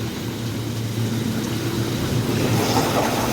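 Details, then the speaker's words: Hot tub pump two, slow to start with air in it, now running after the tub's pump repair (damaged impeller replaced): steady even hum and water rush, no grinding or surging. Running normally. "two that one didn't start right away so we're going to give it a minute we don't want to just keep punching that button it's got air and everything else in it"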